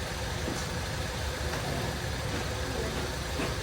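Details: 2014 Ford Escape, which would not start that morning, idling with a charger connected: steady, even petrol idle with no knocks, squeals or whine. The charger reads 15.1 V, so the alternator is good and the idle sounds normal.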